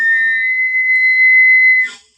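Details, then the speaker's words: Gas boiler (Pigma Green) after cleaning deposits, gas valve opened to blow through gas pipe; clean steady high whistle about two seconds then cuts off; owner suspects a narrowing at the pipe connection or gasket, reportedly worse at low temperature during fan ramp-up. "нас поток газу сам свистить. Я не знаю, де він так свист образується. Може тут на прокладці десь."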